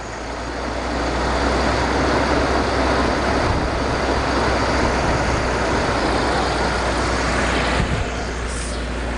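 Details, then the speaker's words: 2004 BMW E46 325Ci after cleaning idle air control valve to fix crank no start and surging loping idle: steady even idle, slightly fast, no surging; normal idle. "Sounds like it's idling a little fast. But she is running."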